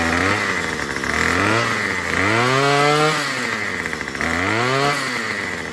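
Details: Murray M2500 two-stroke string trimmer after carb kit replacement and high-speed screw adjustment: buzzes and revs up and down cleanly without bogging; normal running.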